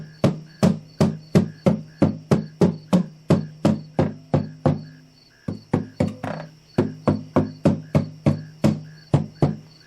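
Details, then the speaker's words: 1941 Kay-built Silvertone archtop guitar, about 75 years old and dried out: tapping the top gives a dull thunk with a faint rattle. Broken, loose brace hanging from the top where the guitar is cracked. "This is a broken and a loose brace."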